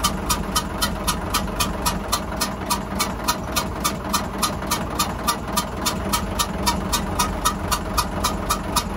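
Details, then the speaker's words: Hyundai 6D16 diesel, previously fine, suddenly hissing ("xẹp xẹp") with lots of smoke. Coolant and oil are normal. Sharp regular hissing puffs, about four per second, keep time with the idle: head gasket leaking compression. "bị bị hóng gió đó bạn Ồ khói cũng quá trời nữa vì không gió"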